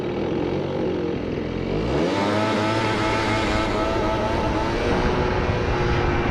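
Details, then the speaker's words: Research scooter with machined front variator pulley, 3.4 g rollers and carburettor needle raised one notch; revs climb quickly into a rising buzz but stutter unevenly; misfire under acceleration. "Siinä on vaan tuo pätkintä, niin se kiihdytys menee nyt sen takia pilalle."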